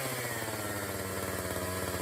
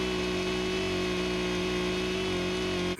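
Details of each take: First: Borrowed Echo CS-590 chainsaw, hot: holds a high, steady buzz at rest instead of settling to idle; the throttle races, it won't shut off unless choked, and it bogs under throttle, from a faulty carburetor. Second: Echo CS-590 chainsaw on a laser tachometer, high-speed screw being set below the 13,000 RPM limit: steady high-pitched scream held flat at wide-open throttle for about three seconds, then cut; adequate RPM, before raising it.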